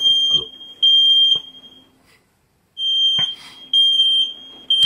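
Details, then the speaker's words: Smoke detector on the ceiling set off at 2:30 am by vapour blown during a DIY radiator fan heating-booster project; piercing high-pitched half-second beeps repeating in bursts with pauses, smoke alarm triggered by vapour. "und jetzt zeig mal die Fresse dann geht nämlich gleich der der Feuermelder los hier der Rauchmelder hier oben ne da war ich auch nicht alleine in der Höhle los"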